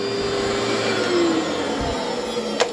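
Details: Cleartrak/Workhorse vacuum after brush and belt replacement, running on the floor: a smooth, steady motor whine with the brush sweeping evenly and no slapping or squeal. The vacuum runs healthy, like a new machine.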